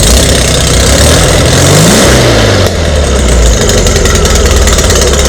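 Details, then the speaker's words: VW Beetle just fitted with dual carburettors, first start with exhaust ports left open: very loud harsh blatting on catching and revving, then rough open rumble at idle, like a Harley, smoke fills garage; exhaust leak from open ports. "oh my god dude that is so [ __ ] loud sounds like a Harley all right I got to plug those ports that's too funny this place just got full of smoke"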